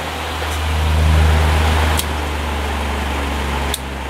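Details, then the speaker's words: 1950s Patton 18-inch High Velocity fan, 3.2 A GE shaded-pole single-bearing motor, after repair (part worked out to ease pressure on the inner collar): smooth steady hum and air rush with light clicks; normal running, the bearing spins freely. "yeah that's much better going to let it run like that for a while and see what happens but I think it's going to be okay"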